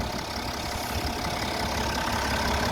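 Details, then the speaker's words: BMW F11 535xd diesel after a rebuild for catastrophic engine failure: even, steady idle clatter at constant speed with no knocks, misses or engine ticking; now running healthy. "wow no more noise no engine ticking isn't that nice"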